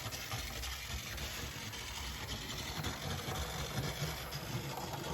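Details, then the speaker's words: Mainline Railways Royal Scot model locomotive after squeal repair, running like new: even motor whir with light, steady wheel clicking and no squeal; normal running. "As I said, it's like a brand new loco."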